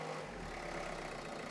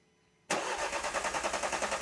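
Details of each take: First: 2012 Renault Scenic 3, 1.5 dCi K9K diesel, idling after fuel filter change, priming, bleeding and a couple of minutes at fast idle: quiet, steady idle with even low hum, no misses or hunting; normal idle. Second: 2012 Renault Scenic 3, 1.5 dCi K9K diesel, started after a fuel filter change and priming with the bulb: catches after a short crank into an uneven, lumpy idle that may stall. Rough running from air in the fuel system.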